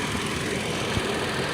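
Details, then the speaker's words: 2012 Toyota Tacoma idling just after purge valve replacement while chasing a P0456 small EVAP leak code; short stretch of steady, even idle with no misses, ticks or hiss, running normally. "So let me start it up and I'll show you guys how this sounds. So it's kicked on and running now."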